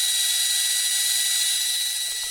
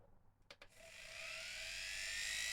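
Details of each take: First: Welling appliance motor on test: thin high-pitched whir with a gritty edge as it spins weakly and winds down; bearing issue, very little torque and low speed compared with other motors. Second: Appliance motor run on 31 V DC: after a couple of clicks it winds up into a clean, steadily rising whine with no crackle or rub, no commutator sparking; good speed and torque, healthy.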